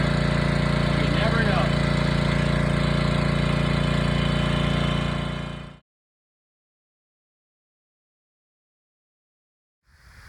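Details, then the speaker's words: Small single-cylinder gas water-pump engine, restarted with the cottage hose attached, pumping water: runs at a steady, even beat with no knocks or misses, then cuts off cleanly; a healthy pump engine. "So we start it up again. And we're pumping water."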